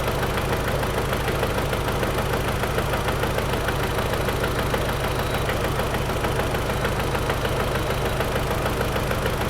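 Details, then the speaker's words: 2003 Audi TT petrol engine idling roughly with a steady uneven chuff about three beats a second and a knock; codes P0300 and P0302 point to a cylinder 2 misfire, ignition coil pack tested. "oh there's a couple codes in p302 cylinder 2 so that's giving us a we bit Direction so P 0300 and P 0302 all right we'll have a we test on cylinder 2 then"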